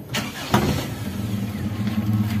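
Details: Toyota Kijang Super after engine rebuild for hard starting, misfire and compression loss (porous cylinder head, worn pistons from overheating): brief crank, catches cleanly, then a steady, even low idle with no knocks or misses; healthy start.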